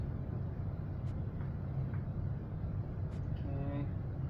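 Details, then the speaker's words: Leslie 147 speaker cabinet motor, previously severely under-oiled, just after oiling: a steady, even low hum with no drag, scrape or catch. The motor spins freely and smoothly and is clearly faster after oiling. "Oh yeah, that made a big difference. It's really moving now."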